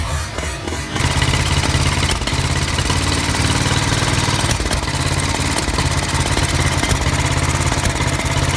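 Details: Old Norton 500 single (500T): uneven thumping with dropped beats and occasional sharp pops. A carburettor misfire with backfires.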